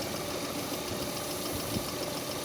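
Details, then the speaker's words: Lada Priora at idle after cleaning dirt and moisture off the accessory drive belt and rollers: even, steady idle with no squeal or chirp; belt now runs quietly. "Как вы наверное уже слышите скрипа нет свиста нет едем дальше"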